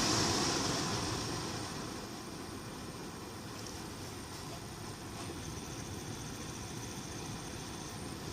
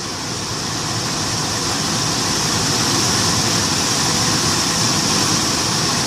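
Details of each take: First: Infiniti M45/M35 AC blower motor under the glovebox, a less-worn spare replacing a loud one, bench-tested at max before installation: constant airy whir at steady speed with no rattle, ticking or squeal; normal blower motor. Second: Infiniti M45/M35 blower motor under the glovebox, the old worn unit plugged in with AC on max: constant high-pitched squeal over a rough rattling whir at one speed; loud blower, usually worse in cold, fixed with a less worn spare.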